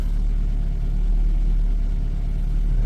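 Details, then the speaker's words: 2009 Ford Focus, first start of the morning during an instrument cluster repair test; low even rumble with a smooth steady beat, nothing rattling on top, engine warming up and automatic choke heard cutting; normal cold start idle. "so you can hear the engine is warming up now that's the uh automatic choke cutting"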